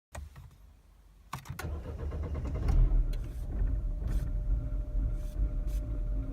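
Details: Mini R56 engine cranks with clicks, then catches and settles into an uneven, stumbling idle with irregular low thumps; engine misfire.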